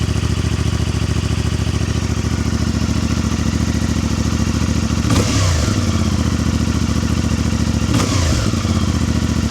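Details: New 2025 CFMoto 450MT twin: smooth, even idle with steady firing and two quick throttle blips that settle straight back; healthy running.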